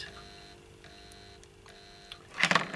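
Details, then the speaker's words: Trix Collett 5600 2-rail model locomotive with coupling rods removed: a thin, steady motor whine that sounds laboured and strained, with handling clatter; drive binding, suspected somewhere in the worm-to-idler gear chain. "don't you can hear it but it's struggling and that is tightening up so there's some water to this idle wheel to this wheel here somewhere in this chain I think there's a problem"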